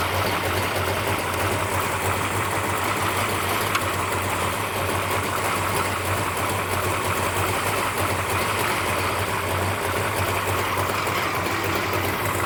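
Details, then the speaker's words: Plymouth Duster race car with new big-block V8, first start after rebuild on a fresh Optima battery: steady, even idle around 800 rpm at about 18 degrees initial timing, smooth low burble, no knocks. Smoking and leaking oil at the valve cover. "All right, crank it. Running pretty good."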